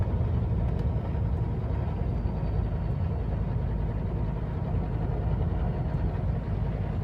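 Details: Mercedes 300SD diesel with two bad injectors: a rough, uneven idle with lumpy, low clatter and stumbling beats, from the faulty injectors knocking and misfiring.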